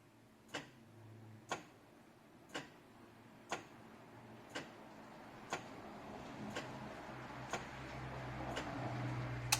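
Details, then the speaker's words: 2007–08 Nissan 350Z HR dual-throttle-body engine overheating, cooling fan auto-test with a multimeter on the fan harness: sharp relay clicks about once a second with no fan whoosh. Voltage is present and the relays work, so the fan motors are dead. "yeah the relays are fine the fans are busted really"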